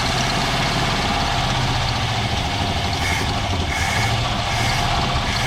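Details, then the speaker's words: One of two long-abandoned Fords (1962 Falcon or 1967 Galaxie), just after its first start following a long sit: quiet, low, even V8 idle with no knocks or misses. A small backfire occurred. Normal idle. "You're quiet, ain't you? I don't want to run her too much."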